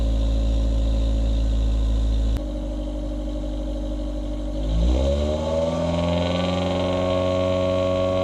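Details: 2000 Honda Civic with eBay header, test pipe instead of cat, OE piping, resonator and OE-style muffler, before the added resonator: steady idle then quick rev climb with a harsh raspy buzz over the exhaust, occurring above 2,800 rpm since the cat was removed.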